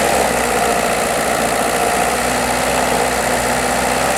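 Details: VW Polo 6N2 1.4i 16V petrol engine: steady idle with a fast, light clacking from the engine block that stops when accelerating; engine pulls well with strong engine braking, cause of the idle tick unknown.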